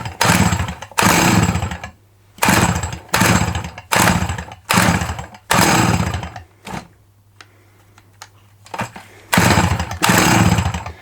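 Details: Dolmar 100 chainsaw: about a dozen short bursts, each firing for a second or so then dying between pulls; it catches but won't keep running. Owner suspects the recoil cord lacks tension and pings back, giving too little spin; clutch also questioned.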